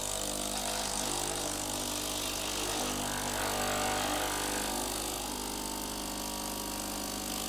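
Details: Philips LatteGo espresso machine after reassembly, tested because it had previously leaked: a steady pump hum with constant pitch and even flow, no sputter or rattle. Water comes from the spout and the inside stays dry, normal pump operation.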